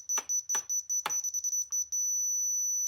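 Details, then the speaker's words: Dovoh DR1 laser level receiver, very sensitive, giving quick repeated high chirps, about two or three a second, while below the laser line, then one solid tone when centered on the line. "it wants me to go down a little bit yet this thing is really sensitive so it's hard to get it right in the middle now it wants me to go up"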